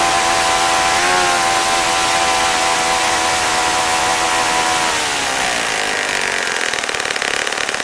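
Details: Saito FA-65 four-stroke model engine, idle needle adjustment on third run: buzzy, slightly uneven idle that sags lower in pitch after about five seconds; idle mixture running rich.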